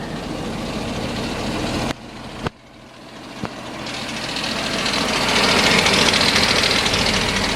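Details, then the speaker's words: 2013 Ford F550 4x4 rollback diesel at idle, heard from outside the truck: a fast, steady metallic rattle from the disengaged transmission-mounted Muncie PTO. It goes away when the PTO is engaged, and the truck and PTO otherwise work fine. "truck runs fine PTO works just fine just a little annoying rattle there I'm not sure if you can hear it at all"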